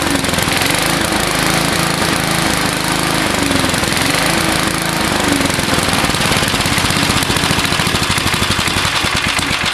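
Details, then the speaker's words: Old 1970s Gillson mower with a 3.5 hp Briggs & Stratton, running after a spark plug cleaning: loud single-cylinder chatter with an uneven, hunting beat at steady throttle. It shuts off when idled very slow; rough running, likely a fuel mixture problem. "I can make it idle really slow, but um she uh she shuts off. So yeah, what are you going to do? It's an old machine."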